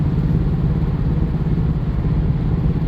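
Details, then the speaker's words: 2017-ish Subaru Forester at about 70 mph on a slight turn: deep, uneven thumping from the front right corner under road rumble, with violent steering-wheel shaking that stops when straightened; worn front lower control arm bushing. "some of that thumping right there if I'm up at freeway speeds about 70 or so and I do a slight turn like around that bend I'll get this horrific shaking of the steering wheel and you can hear something banging around definitely out of that front right corner but as soon as I straighten out it goes away"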